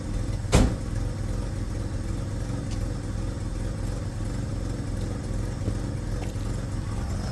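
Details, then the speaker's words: First-gen Ford Ranger four-cylinder with very high mileage and too big a cam, idling after lowering: uneven, loping lumpy idle with a ragged exhaust puff from an exhaust leak. "ignore the exhaust leak and just listen to the wonderful lump of a four-cylinder with too big of a cam for the million miles that are on that motor"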